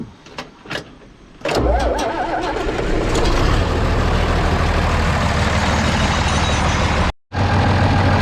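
Diesel cranks briefly, fires and settles into a steady, even idle with no misses, knocks or stumbles.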